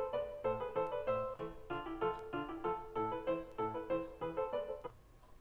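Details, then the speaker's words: Parasound HCA-500 amplifier: music plays, then abruptly cuts out when the blue left-channel wire from the power supply board near the relay is moved. This is an intermittent dropout from a suspected board connection fault. "you go so I'm not doing much there at all and it cut out completely depending on where that sits it cuts in and out"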